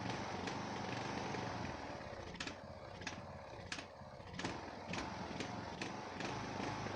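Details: Neglected Ariens 42" riding mower, 17.5 hp Briggs & Stratton, Nikki carburetor, with fresh fuel, new filter and good fuel flow: fast idle broken by irregular sharp pops and stumbles. Smooth only at certain throttle positions; owner suspects the carburetor.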